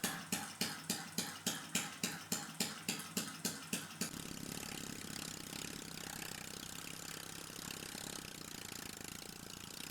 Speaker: the engine was off to a smooth start and took around 50 seconds to stabilize the tank pressure at around 0.45 bar